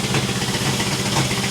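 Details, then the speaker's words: 1966 International 1200A pickup after fuel filter replacement, not yet at temperature, exhaust leak worsened with half the muffler off: loud, ragged idle with sharp puffing pulses and an uneven beat. "it needs an exhaust really bad if you can believe it the exhaust the exhaust leak has gotten worse the half the muffers on the ground my neighbors are going to hate me"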